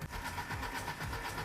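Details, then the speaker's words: Abandoned police service car found in snow, fitted with a battery brought along, cranked with a spare key: even, quick rhythmic chugging as the starter turns the engine freely without firing; engine not seized, cranks but no start, spark still to check. "Baguslah, enjin tidak tersekat. Jadi, kita boleh gunakannya untuk hidupkan dan pandu."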